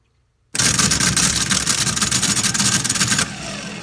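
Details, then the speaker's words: Old starter from a 1984 GMC Jimmy 350, bench-tested on jumper clips: about three seconds of harsh, uneven rapid chatter instead of a clean spin; a loose terminal and a worn starter are suspected, starter judged shot. "to energize but it shouldn't sound like that and I bet a lot of it is because this terminal this gym that isn't locked down all the way I think the starter isn't very good to begin with but that's definitely not supposed to be that way"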